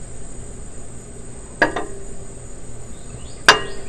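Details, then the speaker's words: Hot catalytic converter on an oil-burning car, knocked with a wood block to check for loose catalyst: two clean single knocks dying away with no internal rattle; catalyst sounds intact. "We're just going to give it a little knock, listen for any rattling inside, and that'll tell us if the catalyst is broken loose."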